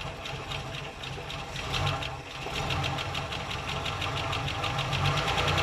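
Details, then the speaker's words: Holden six-cylinder that broke down and blows oil smoke from the breather; uneven idle with a steady ticking pulse about three a second over a deep lumpy beat; blow-by suspected, pointing to rings rather than a burnt valve, once warm. "so once it warms up I suspect that when we take the PCV valve out of the tapet cover it's going to be chopping out smoke so uh if it's got Blow by then we're looking at Rings it's not a valve problem"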